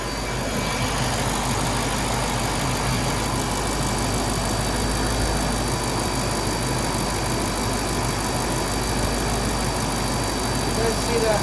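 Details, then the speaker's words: 2004 Mercedes-Benz G500 W463 V8 after new valve cover gaskets, spark plugs and wires: idle mostly steady with slight stumble, visible sparking at a plug wire; misfire from arcing wire, to be reseated. "sparking probably not good there was some sparking going on so I'm going to pull it and reinstall it and hope that that solves our problem"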